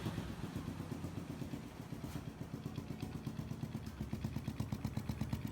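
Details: Honda Biz 125 scooter, which also smokes: single-cylinder idle with a rapid, uneven clatter riding on each beat; abnormal engine noise, cause not identified.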